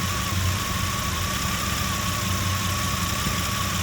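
Uneven, lumpy low rumble at idle with a steady high whine over it; idle sounds rough, cause not evident.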